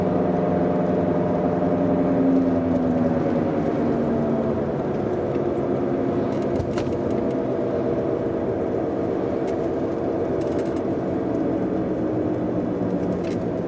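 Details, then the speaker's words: BMW E91, heard at 50–100 km/h: steady droning whine under tyre noise, unchanged with clutch in, rising with speed; cause unconfirmed. "Ouais, même à 50, je l'entends. À 100. Ce que c'est, ça permettra de vous donner une idée du bruit que ça fait."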